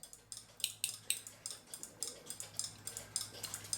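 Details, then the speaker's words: Keebler "Love Bird" clock winder after a failed super-glue attempt. Light, irregular clicks under two per second while winding, then it slips. The clock spring is slipping; the click plate has lost its grabbing shape, or the whole spring is shot. "So this didn't work. You can hold this and wind it a little bit, and then come back and it just slips."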